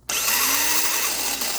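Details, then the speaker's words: Toyota Wish starter motor spun on the bench under power: steady rough high whir with a wandering tone, 稀里呼噜; badly worn front and rear bushings let the shaft run off-centre, so the pinion throws out inaccurately, causing intermittent no-start. "所以像现在你可以听得到，其实它的前后铜套已经是磨损的非常严重，所以声音是这样，稀里呼噜稀里呼噜的。"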